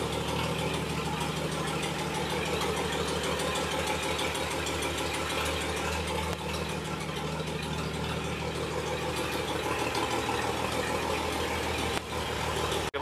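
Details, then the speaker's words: 1958 Chevy Apache barn-find truck, sat about 20 years, won't pull in gear, clutch suspected; even, steady tick-over, no misses or knocks; idling healthily. "even if the Dank thing isn't pulling you can't hardly get mad about that I think sitting there idling running pretty dang good"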